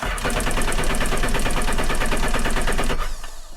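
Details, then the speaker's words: Sea-Doo jet ski during oil change, throttle held so it only cranks without starting: rapid, even chugging as starter turns the engine over without firing, cranking sounds tired; brand new battery almost dead. "so i'm gonna do that one more time for some reason my brand new battery is almost dead but one more time and then we're gonna use it"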